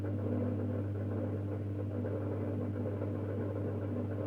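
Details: Mazda Junior G light fitting with a halogen-floodlight-style reflector, warming up: a steady mains buzz with a coarse rattling hum, as the reflector vibrates even though it is screwed on tight.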